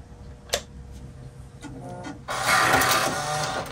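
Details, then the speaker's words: Mac Plus 800K floppy drive ejecting a disk: very noisy, harsh grinding for over a second and lagging before the disk pops out, from broken eject gear teeth; to be lubricated and fitted with a replacement gear kit. "very very very noisy and it feels like it's kind of lagging a little bit so we're going to take it apart we'll lubricate it"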